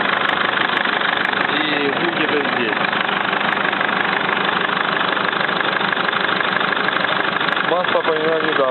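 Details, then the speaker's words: Mercedes Sprinter diesel at steady idle with a light, fairly even tick about three a second. Audible only from the turbo side, not the other. Oil recently changed to semi-synthetic and bad oil is suspected. Owner suspects hydraulic lifters, but the cause is unknown. "Мы сейчас проверим стук двигателя Mercedes Sprinter. Какой-то необычный стук, похоже на гидрокомпенсаторы."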